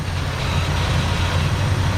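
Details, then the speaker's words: 1965 Mercury Montclair, believed rebuilt 390 V8, first run after 16 years sitting, left running until fuel runs out: steady, deep rumble with no knocks or misses over two seconds; running healthy. "at that motor i mean it's running what's this it's pretty awesome"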